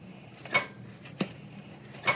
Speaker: That nice dull thud of the piston dropping back to the bottom. And that's just me lifting it with my finger and dropping it.